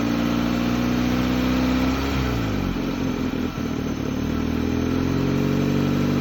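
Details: 2004 Hyundai Elantra petrol engine started after sitting 2 years, check engine light on: engine speed sags for a second or two then climbs back, unstable hunting idle, cause unknown.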